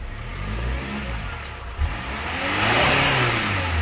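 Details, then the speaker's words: Chevrolet Captiva FL turbo diesel after turbo path and fuel line cleaning, new turbo hose, original turbo cartridge refitted, actuator reset and injector service. Revving climbs smoothly with a clean whoosh; the earlier groan and idle smoke are gone. "Jadi kemarin mobil ini saat idel pun itu mobil berasap sekarang Alhamdulillah udah hilang asapnya coba gas"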